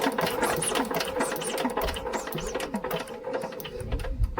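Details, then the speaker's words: Old Lister engine, not run for many years, magneto hand-wound before fitting carburetor: rapid, regular sharp clicking snaps with no misses; good, strong spark. "but yes we have a good spark if you can't see it yeah you can probably hear it cuz you can hear a spark it clicks so that's a really good sign"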